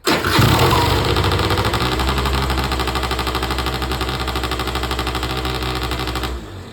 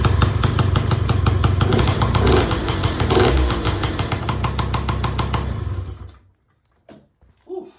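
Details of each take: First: Auction-bought Peugeot Speedfight 2 100cc two-stroke with Leo Vinci exhaust, first start: catches straight away, fast buzzy loud tick-over that hardly drops; idle set too high; possible fueling and electrical issues suspected. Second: Peugeot Speedfight 2 100cc two-stroke scooter with Leo Vinci exhaust, first run after revival: steady, even buzzing idle about six seconds, no misses or hunting, some two-stroke smoke; normal idle.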